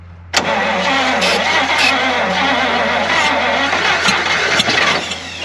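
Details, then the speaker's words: 1953 Pontiac straight-eight, off the road since 1971, first start attempt: steady slow cranking with no catch; cranks but won't start, suspected flooded. "It's sniffling. I think it's flooded out. That's starter. Alright, start turning it over a little bit."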